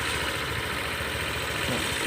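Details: Honda PCX150 with top-end fault (valves damaged; it stalled on starting or slowing and revs wouldn't rise): now an even, steady idle with a smooth buzzing tone, no stumbling or dying.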